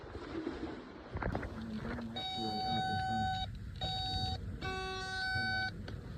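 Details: John Deere 50G mini excavator, no-start: steady high warning tones in long beeps, three in about four seconds, while the machine fails to start.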